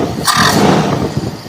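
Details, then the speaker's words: Toyota Kijang 7K carburettor (primary jet 112) after adjustment, main circuit tested by working the accelerator pump linkage; quick clean blip of revs rising and falling without stumbling or popping, main and power-jet circuits responding, normal throttle response. "Mari kita uji bagian utamanya. Cara untuk menguji bagian utama adalah dengan memegang tuas penghubung pompa akselerasi."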